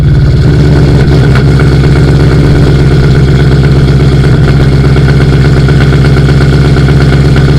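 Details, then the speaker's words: Audi B6 S4 with VF Engineering supercharger, cold start idle after flashing Jackal Motorsport base tune, not run for a while, camera at rear of car: strong even low rumble, steady idle beat, no ticks or knocks; normal cold start idle. "i guess the moment of truth is let's hear a cold start a true cold start"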